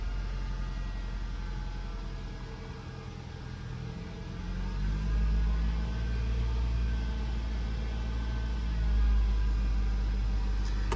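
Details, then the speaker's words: Nissan Juke after repair of a fuel-pressure-related fault: steady, even engine hum held at 1500 rpm, no misses, knocks or surging; normal running. "Okay, we're back together. 1500 RPMs being held there."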